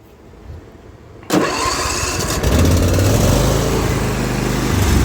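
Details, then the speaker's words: Zero-turn mower, first start after sitting overnight, following a valve adjustment; catches after a short crank into an uneven, lumpy idle, then bogs with blades engaged and won't stay running; cause unknown. "now the blades are on and the engine is bogging down it doesn't want to stay running"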